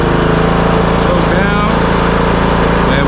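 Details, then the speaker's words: Craftsman T130 riding mower after repairs including a replaced fuse, started on choke: the engine fires right up and settles into a steady, even thump at about four beats a second with no misses. Normal running before mowing. "now I'm going to do a little cutting with it just to show that everything is working properly"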